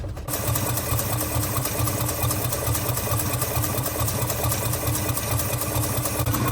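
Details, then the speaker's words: 1948 Studebaker Champion flathead six, warm (radiator warm, thermostat open), after long abandonment: lumpy uneven idle with irregular exhaust stumble; one or more cylinders dead, intake valve suspected, not confirmed. "I want to figure out which cylinder's dead here, or cylinders plural possibly."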